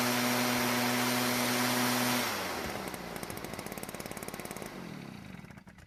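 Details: Stihl backpack blower bought at a garage sale as a non-starter, after the carb limiter caps were removed and the H screw turned about a quarter turn counterclockwise for more fuel: steady, high-revving two-stroke drone that cuts off and winds down. It runs evenly.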